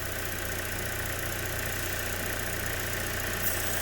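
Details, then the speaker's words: GM 1.4L engine with P0171 at idle, a thin constant whistle from the valve cover PCV valve; plugging it gives immediate short-term fuel trim correction, confirming a vacuum leak from PCV failure; front seal also suspected. "all right i don't know if you guys can hear that whistling plug that off and we're getting immediate corrections on our short term"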